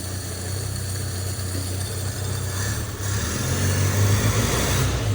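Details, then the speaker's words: Suzuki Samurai after a swap to a used 1.3L engine, first start: low, uneven, loping idle that stumbles about four times a second with the choke closed, running too rich. It runs better once the choke opens. "I hear a got a little M but oh it's uh choke was choked oh runs even better heck yeah dude awesome"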